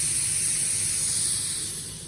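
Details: Haas machine high/low gear shift air cylinder, removed and fed shop air directly, shifted into high gear: sharp steady air hiss that fades over two seconds as pressure bleeds off; the cylinder is venting air.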